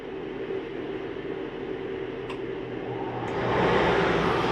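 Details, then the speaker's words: No Boundaries 19.8 RV, air conditioner switched on at the thermostat: steady blower rush swelling as the compressor and fan come up, smooth and even. The AC runs normally and normally shuts off quickly. "hear that AC running? Now I'm going to go back into mode and I'm going to shut that off. And you'll notice the AC normally shuts off pretty quickly."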